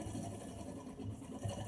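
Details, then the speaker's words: RO water purifier booster pump motor run on the bench after removal: steady low drone with a gritty rumble from a worn bearing; water leaking past the diaphragm reaches the bearing. The armature works. "लेकिन इस bearing में भी आवाज़ आ गया है।"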